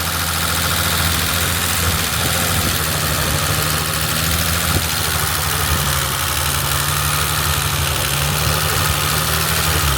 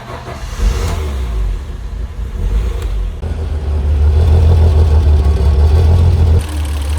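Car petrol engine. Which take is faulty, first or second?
first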